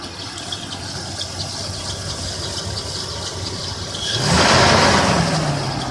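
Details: 1996 Toyota 4Runner at steady idle: light metallic rattle at the front, then a rising squeal as revs pick up; began about a week ago, owner suspects the timing chain or water pump area, source unconfirmed.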